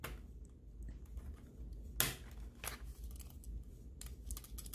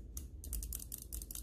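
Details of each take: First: Cooler Master MM710 mouse shaken after a post-travel fix: light, irregular plastic ticking from zip-tie pieces placed under the buttons rattling loose; they can be glued in place. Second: Cooler Master MM710 mouse after the post-travel and click-wobble fix: sharp, crisp clicks with no post travel, plus a slight rattle from the zip-tie heads added in the front.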